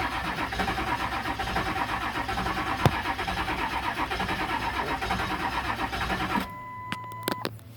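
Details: 1999 7.3 wrecker with a new CPS and new ECU: steady starter cranking at about one turn per second for six seconds, the engine never catches, then it stops; cranks but no start.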